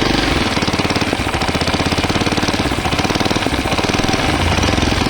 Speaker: কলার যদি এখানে খারাপ থাকে নষ্ট থাকে তখন এখান থেকে লিক করলে সাউন্ড আসবে বা এই নাট দুটো যদি লুজ থাকে সেক্ষেত্রেও কিন্তু সাইলেন্সারের কলার থেকে এখান থেকে পট পট পটপট করে সাউন্ড আসবে